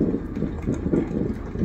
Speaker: so if this gets past about 30 seconds without the five beeps I think we're golden